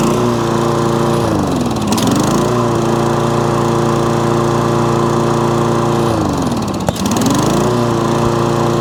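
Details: Toro Recycler mower with intermittent cut-out after 30 seconds to a minute, after main jet cleaned: steady engine note dipping briefly twice as load comes on, recovering smoothly with no cut-out; fix believed but awaiting long test.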